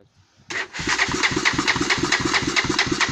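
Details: Honda TRX300EX quad that previously ran fine: catches quickly, then chugs in uneven beats about twice a second and won't keep running; starts but won't keep running, cause unknown.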